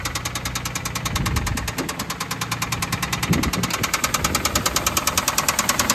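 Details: Engine idling just off a trailer: steady, fast ticking knock roughly three per second over a rough idle; the engine is knocking and burning oil.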